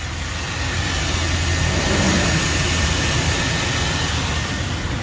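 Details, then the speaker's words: Car after growling noise misdiagnosed as alternator was fixed by replacing the water pump; smooth, even idle with steady low hum, no tick, whine or rattle; noise gone. "all right I'm done guys the noise is gone"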